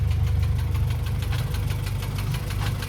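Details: Acura Integra junk replacement engine after a 4-hour drive: deep heavy idle with rough uneven thumping about three beats a second; knock disappears when revved, then returns at idle; engine knock.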